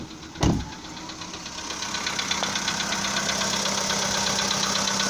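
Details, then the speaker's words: Volkswagen Polo Sedan engine just after a cold start in snowy weather; light, fairly quick, slightly uneven ticking knock over the idle, owner suspects piston knock in one or more cylinders; cause unknown. "итак слышен характерный сук в моторе как говорят люди это стучат поршни ну либо какой то один из них и так штук есть слышно"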